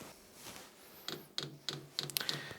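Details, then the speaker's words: New Vevor diesel air heater in a cold workshop, starting up in automatic mode with a 16 °C setpoint. Sharp, light ticks about three a second are the diesel dosing pump feeding fuel to the combustion chamber: normal fuel pump clicking at startup. "la pompe qui va mener du gasoil dans le vais basto ou dans le chine à stôt comme disent les gens"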